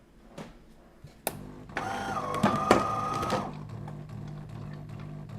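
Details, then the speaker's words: DeLonghi PrimaDonna Elite coffee machine, water connected, reported not making coffee or dispensing water: faint thin pump buzz for about two seconds, barely audible — pump running without drawing water, cause unconfirmed. "I don't know if you can hear it, but it barely makes a sound and that's the mystery of today. Listen to this coffee machine, because it may be a complicated repair , it doesn't take water at all, or it may be something minor"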